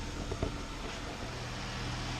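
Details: 2017 Dodge Charger 3.6L Pentastar idling outdoors on flat ground after an oil change, checked with no leaks found: a quiet, low, even hum with no knocks or ticks, a healthy idle.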